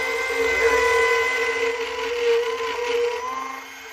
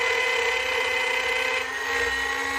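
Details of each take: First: Router cutting almost freehand, not tight against the template: high steady motor whine dipping as the bit takes the cut and recovering after; normal smooth running. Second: Small trim router with bearing-guided straight bit cutting along a template, run with the grain: high steady motor whine with rough buzzy edge and chattering bit from taking too much off in one pass.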